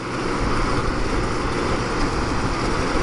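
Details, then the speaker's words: Small window air conditioner with LG compressor, recharged with refrigerant transferred from a Fedders unit, not run in a while, on low fan; smooth even low rumble and fan rush, no knocks or rattles: normal running. "but yeah i mean it's performing quite well and you can hear how i mean that's low fan or high fan this is low fan these units are really quiet and they perform really well"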